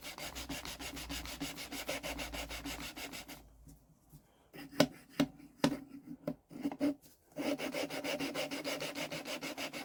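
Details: Deutz engine cylinder head, removed over no compression; lapping a valve with fine paste after coarse; gritty back-and-forth scraping, then a pause with light taps; paste still cutting but the seat is nearly lapped in.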